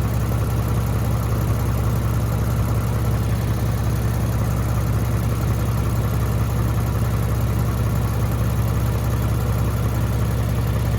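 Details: Lexus GS350 V6 idling after a clamp was fitted over a cracked exhaust pipe to cure a rattle: steady, even low drone with no distinct rattle standing out.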